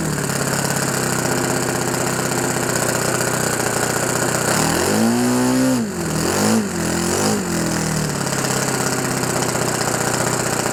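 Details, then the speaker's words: OS FS 91 Surpass 15 cc methanol four-stroke on what is probably a Graupner 14x7 prop, breaking in a new ring; steady buzz with short pitch rises and dips, rich but even. "très très gras, très riche, ouais, 14,7, très très riche pour bien roder le segment."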